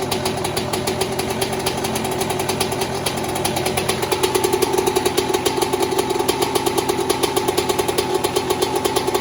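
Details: 2002 Yamaha YZ125 two-stroke after a top-end rebuild, first start following an initial backfire: crisp, steady popping that picks up cleanly halfway through, with even firing and no knocks or misses; the engine is running healthy.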